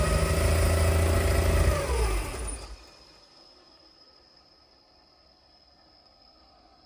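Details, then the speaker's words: Skyline, with new parts fitted, first starting after five hours of work that day: the engine runs unevenly under a loud drone with turbo sounds, then fades and dies. It runs terribly, cause not yet clear. "It runs terribly, as you can hear."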